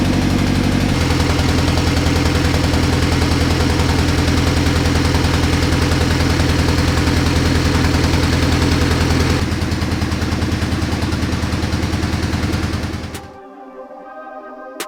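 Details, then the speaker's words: First start of a B18C Type R engine swapped into a 1988 CRX Si: a loud idle with an uneven, stumbling, knock-like beat. It is a misfire. "You probably heard that misfire that was going on. It really sounded like a knocking situation."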